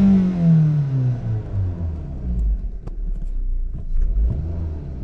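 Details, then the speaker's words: 2001 Toyota RAV4 2.0L four-cylinder after its misfire repair. The engine note sweeps smoothly from high revs to a low steady rumble with no stutter or hesitation; it accelerates normally. "so uh good thing is it accelerates so this problem's"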